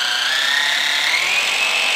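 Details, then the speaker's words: Axial SCX102 RTR crawler after 100 miles on stock driveshafts, plugged in with wheels spinning: smooth steady high whir rising slightly in pitch, no grinding or ticking; drivetrain bearings healthy. "there's there's absolutely no noise coming from the drivetrain on these axles"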